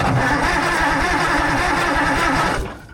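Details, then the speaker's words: Allis Chalmers 645B loader diesel on a jump pack, injection pump in shutdown position: strong, regular cranking about five beats a second, smoke from the turbo, no firing; no fuel yet, diaphragm pump suspected bad. "There's no fuel yet, but it's blowing lots of nastiness out of this turbo. It's cranking over pretty decent, but still no fuel."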